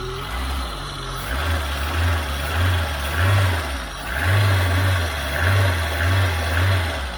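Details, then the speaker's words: Peugeot 106 S1 Rallye engine revving cleanly on repeated throttle blips without stumble; idles happily, but white smoke appears after a few minutes running, and a head gasket failure is suspected. "she seems to rev up cleanly but it does look like we're gonna have to get this head off and check the head gasket"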